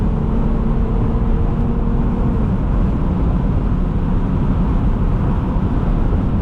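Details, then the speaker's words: Lexus IS250 test drive after a crash, after cutting away part of the panel and fender liner the tyre was hitting; even road rumble and engine drone with no rhythmic scraping, tyre no longer rubs, no overheating after about an hour. "You see it works fine. There's no more rubbing, which is good."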